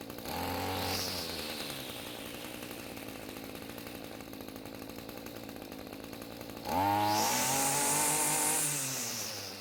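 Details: Echo string trimmer after turning the carb fuel adjustment screw half a turn counterclockwise (it had bogged and died on quick throttle): idles steadily, then picks up cleanly to a smooth full-throttle scream with no bogging; the two-stroke is running right.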